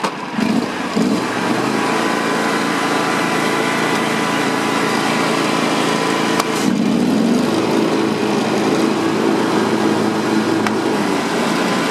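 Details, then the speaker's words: John Deere X320 mower after a bearing replacement on the clutch: steady, even engine drone and smooth idle with no rattle, squeal or irregular knock; normal running. "It sounds much better, especially when it idles, and it doesn't sound weird, I should say."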